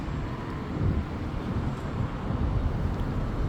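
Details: New Extreme Bull (Begode) Rocket electric unicycle, 13.5 km ridden, previously grinding above 25 km/h; ridden at 25 km/h or more after firmware update Rocket_JN1525001: steady low rolling rumble with wind, no grinding or scraping. Smooth ride, no grinding.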